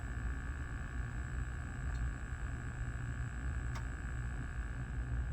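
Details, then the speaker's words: Terra Force arcade PCB on test: low steady hum with faint high whine through amplifier even with volume off; goes nearly silent when board is lifted, suspected interference from board placement. "if i lift the board damn near go silent so we are having an interference i knew there was something weird going on"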